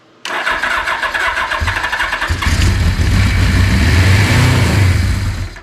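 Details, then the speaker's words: Long-sitting Suzuki GS850G with carbs just refitted, no gas tank fitted and a small borrowed battery: it cranks, catches with a rough roar seemingly on all four cylinders, then dies after a few seconds. Brief start then stall, fuel-starved. "so it sounds like it's running on all four immediately but I it's kind of hard to tell how it did was fire up and die"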